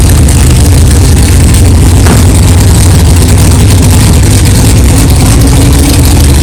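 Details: 1964 Chevelle 383 stroker V8 at first fire-up after an 8-month build, not yet warmed up, 11° timing, 63 lb oil pressure: loud, low, even idle rumble, no clanging, knocking or ticking; runs good, good oil pressure, healthy normal idle.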